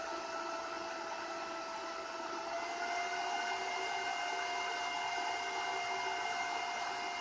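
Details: Bitmain AntMiner S9 Batch 3 (12.93 TH) on an alternative PSU, still booting with fault light blinking: loud steady fan rush with a few even tones at constant pitch; fans running hard, normal startup fan noise.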